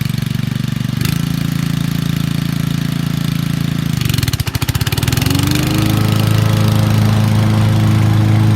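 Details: Honda HRC216 mower with GXV160 engine, bagging grass: steady, deep single-cylinder thump dips briefly then settles into an even, firm note, pulling cleanly and packing the bag heavily; normal engine running under load.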